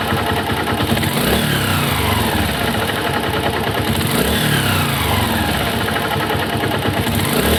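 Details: Honda CG/Titan/Fan 125 pushrod engine (up to 2008), out of the frame: revving and settling with a hard knocking rattle on each rev; owner suspects the connecting rod (biela), not yet confirmed.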